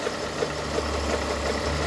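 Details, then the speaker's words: Project car at about 90,000 miles, idling: dry gritty grind with a faint regular tick about three times a second from the accessory drive; owner says one of the pulleys is failing, not yet confirmed. "but yeah you can hear that noise can't you coming from down in there it's one of the pulleys"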